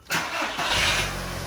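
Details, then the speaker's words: Audi A2 first start after service with new oil, oil filter and spark plugs; short crank, then it catches at once and settles into a smooth, even idle with no odd noises, a healthy start. "Sounds good so far though. Not making any funny noises. Started immediately. Sounds good."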